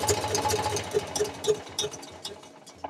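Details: Eicher 485 tractor diesel with white smoke and starting problem: sharp light ticks about three per second over idle from the cylinder head; tight tappets, valve clearance needs setting.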